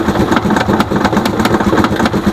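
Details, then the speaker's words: Rusi Chariot 175 motorcycle idling: a light, buzzy plastic rattle about five times a second from the air cleaner housing, loose because its bracket or metal mount came off. It vibrates with the engine and gets louder as RPM rises. "maingay yung ating na char ito kasi pagka mag-vibrate yung makina natin ay sumasabay din yung vibrate nitong ating air cleaner so pagka wala ng bracket doon kadalasan Natatanggal yung bracket niya o Natatanggal yung bakal naka-connect dito sa ating air cleaner ay doon po nag-cause ng ingay"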